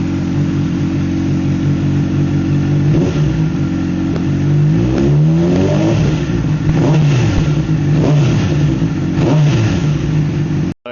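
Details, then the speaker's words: 2009 Honda CBR600RR idling with light blips before tensioner replacement: loud engine with gritty, scratchy rattle; loose timing chain from tensioner, a common issue on this model, tensioner to be changed. "Obviously, the engine's pretty loud. I don't know how well you could hear it, but uh it's it's pretty grainy. like it sounds like scratchy. Um, so that's just the chain. It's a bit loose."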